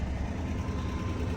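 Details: 2007 Ford F-150 5.4L Triton V8, 264,000 miles, after a critter-chewed ground wire was replaced to cure a no-crank: deep, steady, even idle with no knocks or misses, now starting and running healthy.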